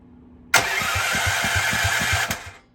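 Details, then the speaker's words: Mini bike being rebuilt, no fuel in it, crank-only test after tightening the wire bolts: brief burst of quick, even starter cranking about five turns a second, engine spins freely without firing; starter cranks normally. "there we go so we're good to go there unplug that so there we go w at least I know that uh it still turns over so there's a big plus and a half"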